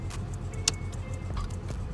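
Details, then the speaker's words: Vehicle with 4.0-liter engine at idle, newly bought transfer case switch: one solid clunk as it shifts into four high, which it never did before; four low requires neutral; normal transfer case engagement. "you can hear that clunk and it says four high it never did that before and then four low you got to be in neutral so you go back to two and it's ready"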